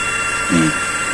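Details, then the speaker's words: SJRC F22S drone checked on the ground after a crash, motors spun up with GPS locked: steady high whine as the motors spin evenly, no rattle or grinding; the motors are normal. "di sini juga masih muutter ya di sini enggak ada ya Jadi ini masih aman Enggak ada masalah jadi untuk motor segala macam ini enggak ada masalah ya teman-teman"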